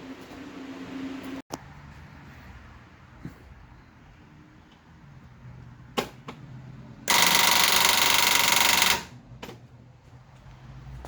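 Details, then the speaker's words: 1974 Triumph TR6 first start attempt, battery just under 12 V: faint clicks then harsh free whirring without cranking; starter pinion not engaging flywheel, owner suspected pinion not thrown out far enough and clipping, weak battery. "that's not good it sounds like it's not thrown up far enough and it's clipping"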